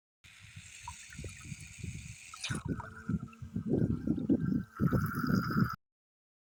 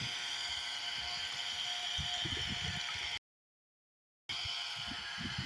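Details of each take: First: Solar water pump: irregular gurgling and dribbling splashes with stops in between, never a strong steady stream; weak flow with little lift height, owner suspects the pump tubing settings may not be compatible. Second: Solar water pump on a 50 W solar panel, lifting water toward a two-floor building: steady, even hiss of a small motor and rushing water with no knocks or grinding; normal operation with strong flow.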